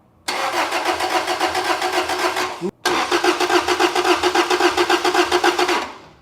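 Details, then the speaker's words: Toyota Celica GTS 2ZZ-GE after replacing broken lift bolts, camshaft caps removed and refitted, new coil packs; first crank after reassembly, even cranking about four pulses a second, pause, steady crank again, sounds as before: normal cranking. "Perfect timing. I'm sure. It sounds exactly like it did before too."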